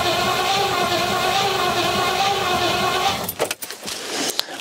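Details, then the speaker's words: Rover P6 with 4.6 V8, start attempt after spraying easy start, new battery: steady churning crank with no firing beat for about three seconds, then scattered clatter, won't catch — crank no start, cause unconfirmed. "okay not much is happening yet let's give a good blast of easy start"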